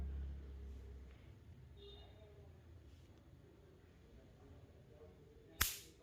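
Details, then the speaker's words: Cooler fan 2.5 MFD capacitor, charged on direct mains power then shorted: a single faint, sharp snap over room hum. The spark is very weak, indicating a weak capacitor (the cooler uses 4 MFD). "ये देखिए दोस्तों ये 2.5 MFD के capacitor की जो आवाज़ है, जो शॉर्ट करने पर स्पार्क कर रहा है, जो इसकी आवाज़ है वो बहुत ही ज़्यादा कम है।"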